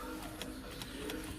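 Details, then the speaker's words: MG3 at key-on: faint fuel pump hum and ticks but engine never cranks, no dash or radio; water from worn door seals floods the DC/DC converter under the passenger seat, shorting it. "Turn the key on, no dash, no radio, although you will hear the fuel pump ticking on."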